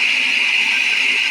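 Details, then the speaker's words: 454 Chevy motorhome after top-end rebuild, now idling right: steady high-pitched single-pitch squeak, no pulsing, blamed on the water pump, which owner says needs changing; squeak then stopped, temperature still good. "But yeah, the water pump was squeaking. It's just now stopped. Temperature's still good."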